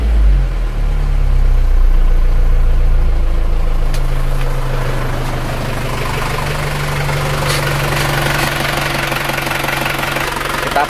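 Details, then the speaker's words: Isuzu Panther diesel idling after nozzle setting: hard, rattly clatter on every firing pulse; the harsh knock indicates pump timing set too far advanced. Diesel knock from over-advanced injection timing. "untuk mengoreksi Apakah mobil ini timnya terlalu maju atau standar kalau termaju terlalu maju itu suaranya rangrang gitu"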